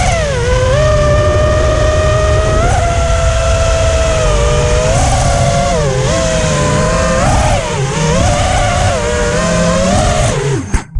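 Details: New Emax 2306 2400kv brushless motors running hot, whining tone rising and falling with throttle with a rough buzzy edge; abnormal motor noise and vibration, cause unclear.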